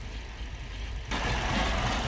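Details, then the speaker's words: Ford Focus running terribly after an accident, setting lean code P0171: uneven, lumpy idle with a loping low rumble and visible vibration; unmetered air from a vacuum leak making it run lean and rough. "so here she is you can hear it just running terribly you see it vibrating in that"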